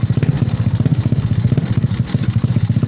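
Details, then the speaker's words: Honda Supra fitted with a Yamaha Mio CDI, pulser trigger bump not yet modified: uneven stumbling putter about three beats a second that never settles, dying or sputtering when throttled; the pulser bump needs changing to run normally. "Ini kondisi Supranya belum dirubah tonjolan pulsernya, baru dirakit bagian CDI nya aja, cuman bisa hidup, tapi kalau digas mati, repet deh. Kalau digas repet."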